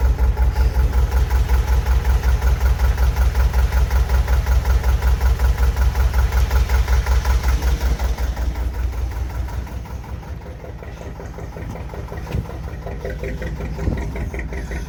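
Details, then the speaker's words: Boat single-cylinder JP2 diesel, cold start in December after three months unused: slow even thump about 2.5 beats per second with a smoke plume; starting ratchet audible; idles nicer cold, stalls if revs drop too low. "There's a plume of smoke there. Always ticks over much nicer when it's cold."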